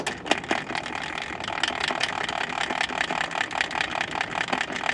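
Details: Hayward GoldLine GVA-24 automatic pool valve actuator, valve no longer actuating: uneven rattling whir with irregular clicks about two or three a second, the worn motor gear slipping in the geartrain.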